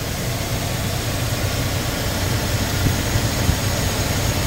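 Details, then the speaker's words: 2001 Nissan R50 Pathfinder 5-speed 4x4 running after the whining alternator was replaced with a used OEM junkyard unit, fan shroud still off: steady, even idle with a smooth low rumble, whine gone and charging normally. "I think we for sure fixed the uh problem that we were having I no longer hear that audible wine that I was getting from the alternator and this one's charging"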